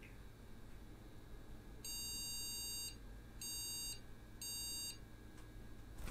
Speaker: yep it's not happy at all and the reason because is the ram isn't fully seated so again even though we've got it in the right slot it's lit up our bio speaker has warned us to let us know that there is still a problem with the system